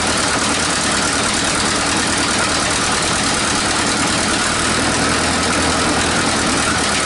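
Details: 1947 Nuffield grader revived after 20 years parked: loud, raspy, busy engine clatter at steady speed; running rough, needing exhaust leak repair.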